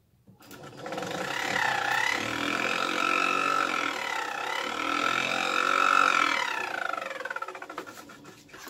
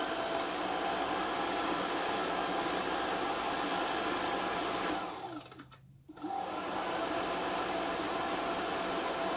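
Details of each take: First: VW Squareback fresh air box blower fan; spins up to a whir with rapid scraping tick about four per second then winds down, impeller rubbing against something in its housing. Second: VW Squareback fresh air box blower after restoration and reassembly: steady even airy whoosh, short dip mid-run, then smooth again; blower sounds healthy.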